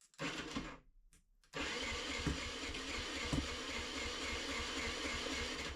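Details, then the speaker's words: Off-grid generator that stopped running after an oil change, battery charged and thawed: brief catch that dies, then a second pull fires into a rough, busy run; oil pulled into the carburetor, lighter oil suspected. "But it seems like it's getting fuel. It just won't start."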